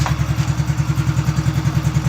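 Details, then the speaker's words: Freshly rebuilt Honda Biz C100 single-cylinder engine idling, ignition cover not yet fitted so flywheel magnet noise is audible: even pulsing with only a faint gear whir underneath; normal, quiet transmission noise. "se escucha el ruido de de los imanes ahí acá tengo el ruido de la misión pero"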